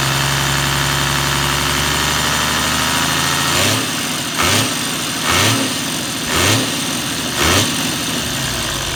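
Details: Toyota 1HD-FT diesel at idle: steady run with a harsh clattering surge about once a second; rattle suspected from timing gear or injection pump, source unclear.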